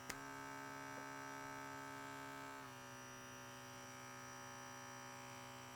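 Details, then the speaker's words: KAATSU C4 air compressor tested with several air hoses: steady electric hum with faint pulsing that never changes note or cuts out; pressure never builds with any hose, so the compressor itself is faulty. "Because the compressor didn't hold pressure with any of these air hoses, we know that the compressor is the issue here."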